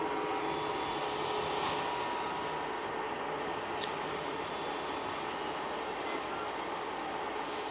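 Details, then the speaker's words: K40 laser cutter after removing the gantry and adjusting the Y-axis belts to fix a cracking "knarking" noise; the gantry now moves through the cut with a quiet smooth whir and no cracking or snapping; fixed. "it sounds much better now as well i do not have this cracking but and i also put it in the right contact so it's done"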